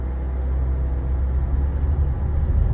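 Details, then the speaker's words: Nissan Sylphy (Dongfeng) after alternator one-way pulley replacement, A/C on, hill start under load: steady deep engine drone with no rattle or clatter; the previous grinding clatter under heavy load is gone. "荷大的时候，不会再有那个嘎嘎嘎嘎嘎的那响声了。"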